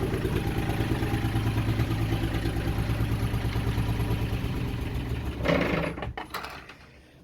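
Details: Yanmar 3GM30F inboard diesel on a sailing yacht, started by bypassing the faulty control-panel start switch during a no-start diagnosis: steady normal idle; fix is replacing the switch.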